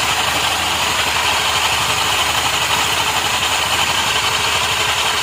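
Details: Honda Activa 125 scooter at steady idle with a fast, loose metallic chatter on top that is not fully even; the rattle is suspected to come from the clutch. Abnormal engine noise.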